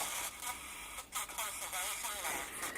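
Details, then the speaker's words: Sony ICF-6800 radio out of its case on temporary speaker: harsh, buzzy, broken-up FM audio under hiss, AM noisy, no display or dial lights; distortion called classic sign of shorted or open output transistors, not confirmed. "We've got noise on AM broadcast, and we've got a very distorted signal on FM,"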